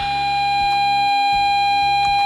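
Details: Repaired Scuola Radio Elettra SRE 412 modulated oscillator, output held near an AM radio's antenna tuned to the same medium-wave frequency: clean, steady whistle near 800 Hz with faint overtones at constant pitch; oscillator producing a proper tone.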